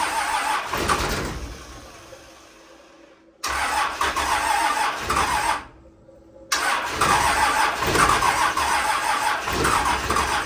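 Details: 12-valve Cummins in a Grumman van at its first start, checked for oil and fuel: a brief crank, then it catches and settles into a steady, even diesel clatter with no misses. Normal diesel start and idle.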